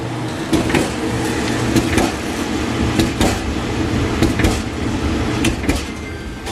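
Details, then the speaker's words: Kenmore dryer running with the door open and the door switch held: low rumble with a sharp double thump about once a second as the drum comes around; a crack in the drum causes the thumping. "So if I spin it with my hand, did you hear a thumping noise? There's a crack on the drum actually."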